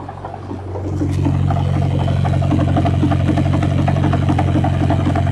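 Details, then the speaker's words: 1967 Ford Anglia 105E with Mitsubishi Galant VR4 6A13TT engine, on axle stands at steady idle: even light tapping about four per second, loudest at front, heard most at passenger-side timing belt cover; cause unconfirmed. "and there is definitely a knot coming from the front as well"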